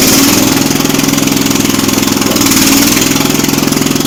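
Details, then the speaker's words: Jacobsen Chief 800 garden tractor, single cylinder, started on choke with idle raised: loping, pulsing beat about three a second that never settles; uneven idle, carburettor needs adjusting. "Okay, so we learned a few things here. The carb needs adjusted."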